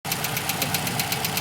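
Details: Toyota Camry XV55 2.5: rapid light ticking knock, about eight per second, over a steady cold idle; appears during warm-up and disappears or quiets once the engine reaches operating temperature, cause unclear.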